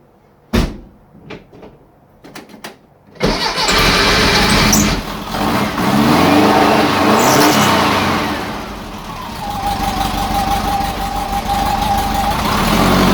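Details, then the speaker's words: Engine with 44 IDF carburetors after float level adjustment: clean start, then an even, steady beat that revs and settles without stumbling; smoother than before, when it was lumpy on one side until hot. "wow that was awesome it started really nice i like it so far so good let's go for a drive see what it does wow listen to that engine purr i don't think it's ever started that smooth like smooth smooth"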